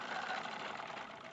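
Quick, even stitching chatter at a steady pace with no clunks or catches: the sewing machine is running smoothly and healthy.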